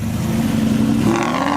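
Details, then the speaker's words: Cheap Aston Martin V8 Vantage, decatted and tuned, revved high along a driveway after shop repairs: hard rising rev with raspy, rough pops and crackles, sounds like a rally car; owner finds it awful and undrivable in public. "it sounds like a rally car like it's just awful"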